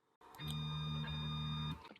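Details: Elegoo Neptune 2S 3D printer: the Z-axis stepper gives a steady low droning hum with a buzzy edge for about 1.5 s, resonating at the original Z3 max feed rate. Lowering it via Pronterface cuts the rumble and desk vibration.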